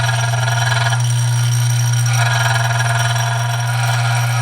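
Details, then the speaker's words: Dillon RF 100 auto primer feeder after tightening tension adjustment: loud steady low buzz with rattly chatter, a spring vibrating against the feeder housing. "And that noise that you hear is a spring vibrating against the, damn, that's annoying."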